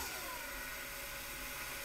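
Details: 12 V to 180 V DC rotary converter (dynamotor) under load, input current rising from about 1.5 A to 13 A: steady high-pitched whir that sags slightly under load; spinning evenly, normal running.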